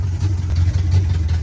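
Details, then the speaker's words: 1986 Camaro Berlinetta with open headers, long sat, lumpy, uneven idle with a wandering, stumbling beat; it suddenly began running badly, cause not found, owner suspects a loose timing chain jumping timing and plans a new distributor and timing chain. "one day it just randomly started running a little bit off uh exhaust notes sounded really really bad haven't been able to really figure it out yet"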